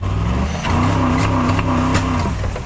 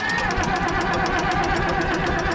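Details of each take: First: Ford auction engine struggles under load: revs climb roughly and unevenly then sag without pulling, no guts in drive; a nasty hole, fuel map suspected. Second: Old auction Ford engine, already warm, cranked on the starter with the decompressor engaged: fast, even cranking with light regular chatter and no compression strokes, turning freely without firing.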